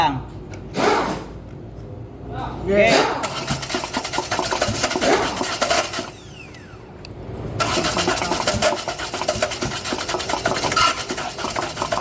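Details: Hyundai Accent CRDi diesel, part 2 of no-start troubleshooting: the starter churns over in steady bursts at an even cranking pace, but the engine never catches or runs on its own. Crank, no start.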